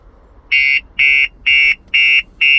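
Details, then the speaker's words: 2023 Audi RS3 with StarLine S9 alarm, idling; loud high-pitched siren pulsing about twice a second in even bursts as car begins shutting down until code entered: anti-hijack alarm siren. "Now you can hear the car beeping away. We are going to get out of the vehicle because this is going to get very loud."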